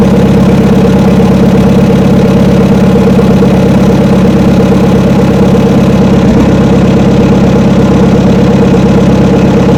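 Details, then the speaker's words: Old blue truck (72 C10) not started in about 3 months, about 40°F and drizzly: the engine finally fires, then drones with an uneven pulse about twice a second. Rough running, seemingly fuel starvation; owner suspects water in the carburetor. "well finally fired off I'm not sure what happened to be honest with you just all of a sudden it started to fire off and sounds like going to run out of fuel now though y it's carburetor troubles"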